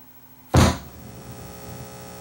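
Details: LuxKit A3400 tube preamp, beginner-built kit with bad connections and shorts, low-pass filter set to 80 Hz: a thump, then a steady low hum. Mains hum, suspected to come from the low-pass filter; exact source unconfirmed.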